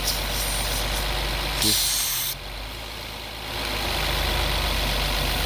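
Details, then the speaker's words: 2016 Nissan Maxima with P0171/P0174 lean codes: engine idles steadily under a thin airy hiss, brief rush of air sucking as the burnt, collapsed PCV valve hose is opened; vacuum leak, heat suspected of damaging PCV valve. "This can create vacuum leak. And it's already gone, you see? It's already collapsed. If I open it, you can hear air sucking."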